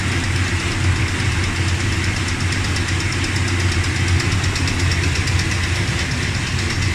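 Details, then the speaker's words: Dodge Ramcharger idling after replacing pushrods, rockers and rocker shaft (oiled before start): smooth, even low idle with a steady rumble and no ticking on top; the tick is gone, valvetrain healthy. "well it worked that tick is gone it's much better now"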